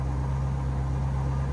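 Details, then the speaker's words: Drift car engine after a misfire fix: a steady, even idle with a deep drone, shaking a bit, and oil pressure seems very high. Normal idle. "yeah it sounds alright probably just call it solid mount and it's shaking a bit oil pressure seems really high"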